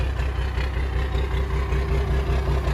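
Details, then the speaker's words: Abandoned 1997 Dodge Ram Gen 2 Cummins diesel with 5-speed NV4500, sitting for years, first start: steady low clatter at an even idle, no misses or knocks, no heavy smoke; sounds all right. "Okay. I think she sounds all right. We'll have to get it to the yard and pressure wash it and see what we're actually dealing with here. But that sounded all right."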